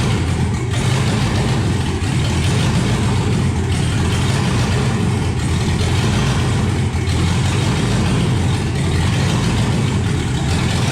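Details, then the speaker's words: 1971 Impala donk with LS swap that died on a light rev after backing out of the shop and since runs on three to five cylinders; rough, lumpy idle with uneven thumps and stumbles, misfire from a dirty computer connector. "I went to just rev it up a little bit and it died and since then it only ran on like three four maybe five cylinders at most"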